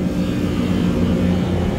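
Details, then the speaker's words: Beer walk-in cooler compressor, oil level okay, making a loud, rough droning hum with a coarse low rumble under a steady tone; internal wear, likely a bearing problem, so the compressor is to be replaced. "I noticed this compressor is making a ridiculously bad noise it has oil but that noise that it's making is not normal there's a bearing issue or something's going on inside that compressor"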